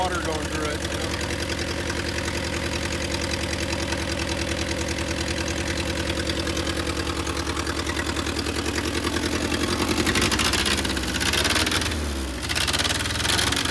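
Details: Willys CJ2A Jeep, first run: steady throaty idle with a slightly uneven, loping beat and no water pump whirr, idling rough; owners say idle adjustment is off.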